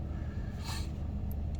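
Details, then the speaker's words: 2003 Toyota Sequoia 4.7 V8 after an oil change, first start: idle runs a little fast while oil pressure comes up, then calms down; deep, even rumble with no knocks or misses, a normal steady idle. "it's going to come up it's going to go a little high and you can hear the engines kind of run a little fast and then it's going to calm down you got to kind of watch it once it steadies out"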